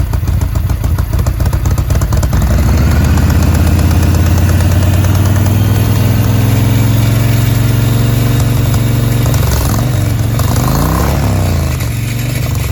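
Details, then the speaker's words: 2005 Yamaha Road Star 1700 V-twin, first start after years sitting, enrichment cable seized, new battery: deep idle and revs with uneven stumbles and hiccups; rough running cause unconfirmed. "i am fairly surprised that she did actually start up it does sound like we've got som"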